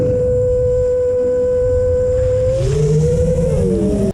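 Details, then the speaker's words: FPV quad with relatively high PIDs and reduced filtering: loud, pure singing tone near 500 Hz in turns, bending and splitting with throttle, like a tuning fork; frame resonance from unfiltered motor noise, fixed with a static notch centered at 465 Hz. "you can hear it here too it's singing so as i make that turn like that it's like a tuning fork it's kind of crazy"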